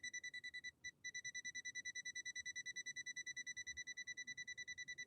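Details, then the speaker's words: Imported Swedish machine run through a step-up converter: the continuity tester beeps steadily about three a second on the incoming power cord, dropping out briefly near the start. The indicator light flickers, showing a bad intermittent cord connection. "because when i pushed it down that light you saw the light kind of flicker on and off so we've got a bad connection coming into the machine"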